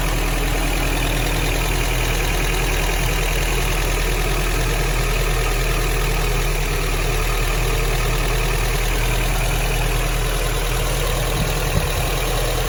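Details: Vintage Toyota 4x4 truck started for the first time in a year, on a charged battery after the fuel pump was reconnected. Steady, even idle with a low smooth rumble and no knocks or misses; normal.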